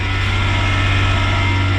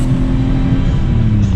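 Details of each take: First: Kei car after Miller welding of its muffler, first start: steady even low burble at idle with no ticking, puffing leaks or rattles; exhaust sounds sealed and healthy. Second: Kei truck after muffler crack patched with muffler weld compound: patch failed within about a thousand feet of driving, loud raw low rumble with rough blatty exhaust note; exhaust leak at muffler.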